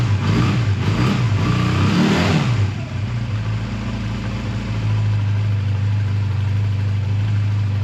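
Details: A 2001 Honda Rebel takes a few throttle blips, then settles to a steady, even low idle with no clatter or hunting, after a choked cold start at 22° that stalled once and a suspected minor fueling problem with a gas drip; normal idle.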